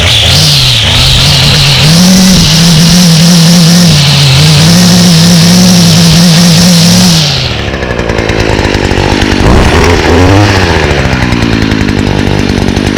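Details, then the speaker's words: Stihl FS56 trimmer (2017) with Stihl easy-start system, choked and primed after seasonal storage: high, steady two-stroke buzz holding speed cleanly, then dropping to idle without sputter or surge; flex cable shaft makes it vibrate a lot; runs healthy. "and now very similar to the echo it has the um steel's easy to start system so it's pretty similar um it promotes easy starting so i'll demonstrate that now see how easy that is"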